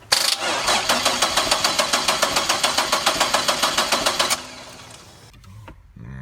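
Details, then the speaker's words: 1999 Chevrolet Camaro 3800 Series II V6, 5-speed, twin-turbo build, first start attempt after battery reconnected: starter turns over in even pulses about 3.5 per second for four seconds, never catches; crank no start, cause unknown. "I was really hoping that we were gonna get this thing started today I really was apparently I did not do something right"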